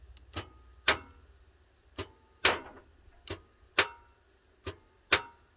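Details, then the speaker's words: 2009 Toyota Tundra 5.7 with intermittent no-crank, code P2799, relay jumper bypassing the ignition switch: sharp single clicks about every second with no cranking, a failing starter solenoid; whole starter replaced. "You can hear the solenoid clicking. So the solenoid is the problem on the starter, but we're going to change the entire starter."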